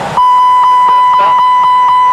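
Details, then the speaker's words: Airbus A320 in a nose-down, high-bank dive with the side stick released: loud continuous high-pitched overspeed warning pulsing about four times a second as speed exceeds VMO by 12 knots, then the aircraft recovers on its own. "You'll hear the overspeed warning in a minute, which will stop when it sounds. I release the side stick, and we'll see what happens. Here comes the overspeed warning now."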